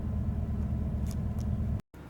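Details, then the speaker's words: Copart Chevrolet Silverado 1500 V8 after fixing its cylinder 6 misfire, rough running and hesitation: quiet, smooth, even idle with no skips; normal. "so there you go purring like a kitten when you stop at a light with the radio going feels like it's not running at all feels like it shut off that's how how uh smoothly it"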